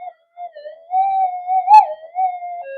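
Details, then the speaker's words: Minelab GPX 5000 metal detector after component upgrades for noise, in mono mode with cancel coil, gain 20, indoors with electrical running: wavering, warbling tone with sudden chirps during frequency scan; heavy electrical interference at high gain. "even at a gain of 20 let's do a frequency scan Jesus you can hear all that noise um there's buckets of interference but we'll try it"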